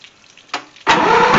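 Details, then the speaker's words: 1972 Mercury 1150 (115 hp) outboard on a Slick Craft boat, unstarted for one to two weeks: brief crank, catches instantly and settles into a loud steady even run; clean cold start. "I haven't started it in about a week or two. So I just want to make sure the engine runs and it'll start uh for them. So let's let's do a quick cold start."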